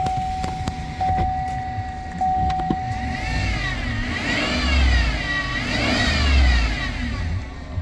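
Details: 2019 Chevy Silverado V8 with a weird noise on acceleration, remote-started: a thin whine rises and falls with each rev over the engine rumble; diagnosed as a failing idler pulley.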